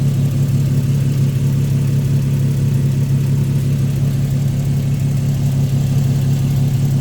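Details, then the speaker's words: 2009 Infiniti G37x at idle during pre-purchase inspection, heard from underneath: steady even idle with deep booming drone louder than stock; inspector suspects modified exhaust, possibly just flex pipe. "Well, it could be just a flex pipe, but my guess is there is a modified exhaust on this car because the exhaust is loud."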